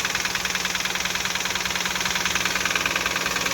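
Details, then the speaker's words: Engine fired up right after startup with some sensors unplugged: sharp, even knock about three times a second over a rough idle. Cause unknown. Engine knocking. "that might not get rid of the knocking but it will make it run"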